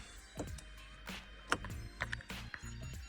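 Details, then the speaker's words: StarLine S-Series immobiliser on a car: key fobs removed, unlock pressed and door opened, then short electronic countdown chirps over a quiet car while the system blocks the engine from starting until an override code is entered. "so when I open the door on the uh the car it will start a countdown as you can hear and won't allow me to"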